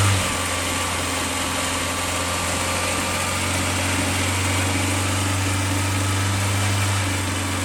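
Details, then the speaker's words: Skoda Favorit Forum, dormant since 2001 (about 20 years), new distributor cap, rotor arm, HT leads and plugs, still on old fuel: after a full-throttle start it runs fine at 2,000–3,000 rpm but won't hold idle, wavering and sagging; unstable idle. "when you let go and let it idle with it doesn't really want to sit there yet but in fairness we've still got old fuel running in the tank"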